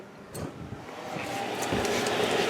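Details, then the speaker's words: Pel Pro 130 pellet stove, newly swapped exhaust blower motor (old one had become noisy and dirty), first power-on after install: blower spins up to a smooth, soft steady whir with faint even hum, no rattle or scrape; normal blower operation. "And if you could hear this, you would hear it running right now. Working fine, looks like everything's cool."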